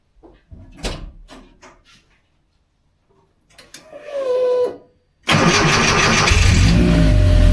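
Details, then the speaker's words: 1982 VW Westfalia with Subaru engine swap, fresh start after coolant fill: a few cranks, then idle with a steady thin whine from a noisy electric fuel pump; old pump suspected of low pressure causing hard starting. "Makes lots of noise, but it sure didn't turn up right away. Ah, that's the fuel pump making noise."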